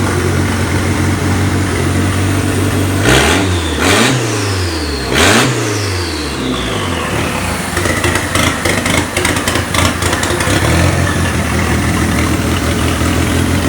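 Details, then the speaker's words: Mitsubishi Eclipse with a newly installed 4G63T engine, first run after a wiring issue, downpipe disconnected: it fires and takes three clean rev blips, then settles to an even, loud, raspy open-downpipe idle. Runs normally. "so we got it running. As you can hear, it sounds absolutely beautiful. The downpipe's actually disconnected."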